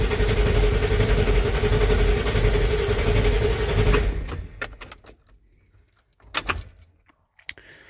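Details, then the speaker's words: 1994.5 Ford F-350 7.3 Powerstroke after installing 160/00 injectors and a new intake, cold Alaska winter: starter drones about four seconds with even compression pulses but never fires; air in the head oil and fuel, oil rails not pre-filled. "Of course, we still have a lack of oil and fuel to the cylinder head, so it's going to crank over for a little bit."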